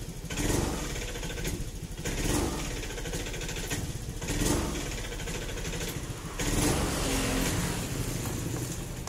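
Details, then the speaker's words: Honda Scoopy injection scooter, starter and MIL fine, stutters when throttle first opens: four rough hesitant revs. Possible causes: spark plug or plug cap, dirty idle/air screw or throttle body, fuel pump/injector, ECM reset, TPS adjustment. "Nah untuk permasalahan seperti itu bisa disebabkan karena beberapa faktor yang pertama adalah ya barangkali di bagian cok businya bermasalah atau busi"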